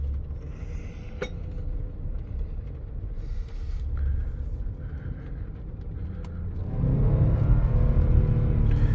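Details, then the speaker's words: Supercharged V8 Range Rover LWB driving in first gear after replacing all eight fuel injectors: even, steady rumble, clean pull as revs rise with no stumble or miss; previous blinking check engine light gone, residual smoke clearing; normal running. "the engine sounds right we'll give it what's known as the Italian tune-up just drive it a little bit and see if that smoke pretty much clears"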